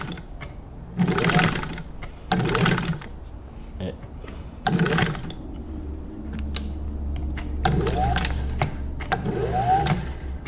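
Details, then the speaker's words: Singer 15-91 sewing machine (Canadian-made Anniversary edition) after its motor was cleaned, re-greased and reinstalled: short bursts of smooth, even stitching hum that start and stop cleanly, no knocks or grinding; normal running. "The motor's been cleaned, re-greased, and put back in place, and"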